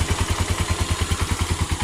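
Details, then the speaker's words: Honda TMX 125 single-cylinder after fix: original CDI still fine but stator primary faulty, so converted to a battery-operated CDI; starts and idles cleanly with crisp even exhaust beats, about seven or eight a second, no misses. "Nasalpak natin yung CDI niya testing na natin kung mag-start yan, nakaon na kanyang battery. Start yun oh. battery operated CDI convert natin"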